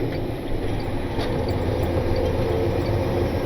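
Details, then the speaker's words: Diesel truck on a test drive after the shop fixed a loose rocker arm that had been slapping: a deep, even drone pulling at low revs under load, with the Jake brake also tested. Running smooth and not getting hot, so the engine sounds healthy. "seems to be doing just fine it's not getting hot it's running smooth so hopefully that means it is ready to go back to work"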